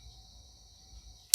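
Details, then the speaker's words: IBM PS/2 L40 SX laptop (1991) floppy drive after recapping leaking capacitors, booting reference disk: faint steady spin whine, sharp seek click and smaller follow-up; seek sounds stronger, drive reads normally. "actually that seek sounded more powerful all right yeah and it's booting straight in there now waiting for me to press F1 because it's recognized that it is a reference disk so that's good too sounds like it's loading nicely"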